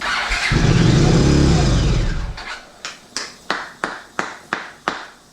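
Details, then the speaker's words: 1982 Honda CX500 Turbo not run in 25 years, new fuel pump, injectors off for cleaning; brake cleaner sprayed into intake, engine catches with rough roar about two seconds then dies to clicks; no fuel delivery, runs only on spray, injectors clogged. "Okay, I squirt some brake clean in there, so let's see what happens."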